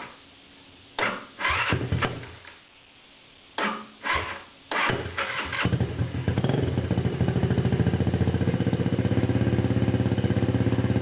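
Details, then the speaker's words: TaoTao Lancer 150cc Chinese scooter with temporary homemade muffler (lawnmower exhaust on black pipe fittings) replacing clogged factory one: cranking, then rapid, loud, raspy putter at idle; loud exhaust from makeshift muffler. "basically a lawnmower exhaust actually works pretty well it's a little bit loud but it's only temporary"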